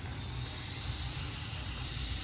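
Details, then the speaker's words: BMW N54 converted to single turbo, boost leak test with soapy water: loud, steady high-pitched air hiss under pressure, escaping at the leak tester's own connection fittings, not the engine. "It did leak at this tester as well, so that can throw you off a little bit if you're not paying attention."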